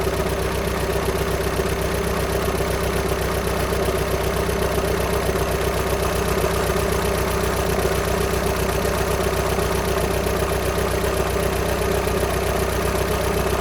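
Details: VW Sharan 7N 2.0 TDI common rail diesel (CFFB), cold start after new timing belt, injectors refitted and fuel lines drained without bleeding; constant light metallic rattle at engine rhythm over idle; owner suspects tensioner pulley, unconfirmed.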